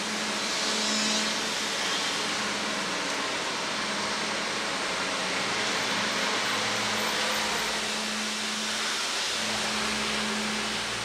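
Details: Air compressor after replacing the seized head/cylinder main unit with a new one, original tank kept: steady hiss and even motor hum around 200 Hz with no knocking or rattle; running smoothly.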